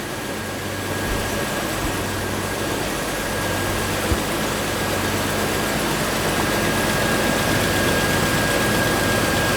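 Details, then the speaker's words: 2000 Jeep Wrangler TJ after reassembly, idling: smooth regular idle, steady low hum, no ticking, knocking or rattles; a little oil burning off, possibly from valve cover; normal idle. "Yeah, buddy. I don't hear any like crazy noises in the in the engine. A little bit of oil burning off of it."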